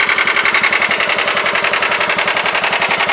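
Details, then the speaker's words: John Deere 180 lawn tractor cold start, unknown hours (possibly 1,000). Quick, regular chuffing at about 220 beats a minute with a rough, raspy edge; slightly raspy idle, cause unclear. "Yeah, you hear the got a little rasp to it at idle. God only knows how many hours this machine has, really."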